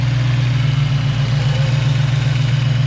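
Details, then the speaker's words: Rebuilt Ford 302 with GT40P heads, Cobra camshaft, Trick Flow valve springs, GT40 intake, factory speed density ECU, idle about 1000 rpm, running slightly rich; smooth V8 idle with light quick ticking about 220 a minute from the valvetrain: rocker arm noise. "Yeah, got a little bit of rocker noise, so what? Put it up against your valve cover, cover your ear, put it on the actual wood, and you can hear your whole valve train."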